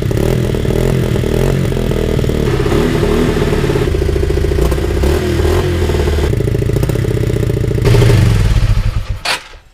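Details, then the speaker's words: Lexmoto 125 restarted after sitting three hours: fast, uneven idle around three to four thousand rpm with irregular stumble and lumpy beat, dropping toward 1,500 and struggling to stay alive before dying; misfire and high idle, cause unconfirmed. "tuning you hear that little not miss um um it's really money quite high if I leave it running for longer the Reds go down"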